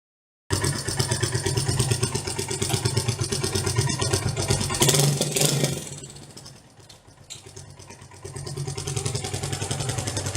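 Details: SYM Wolf 125 motorcycle idling with loose clattering and a hard knock as it shifts into gear; gear engagement clunk with chain slap.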